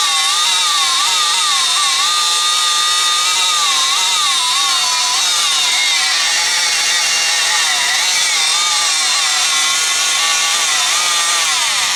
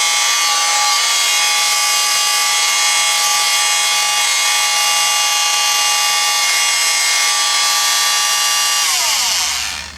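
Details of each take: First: Rockwell Sonicrafter oscillating tool with an intermittent speed-control fault, after replacing a cracked resistor in the speed control circuit: high buzzing tone wavers up and down. Uneven motor speed, better but not fixed. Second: Rockwell Sonicrafter oscillating tool after repairing the speed control circuit (broken resistors, bad chip solder joints), run from low speed upward: steady high buzzing hum, no cutting out, then winding down. Normal steady running.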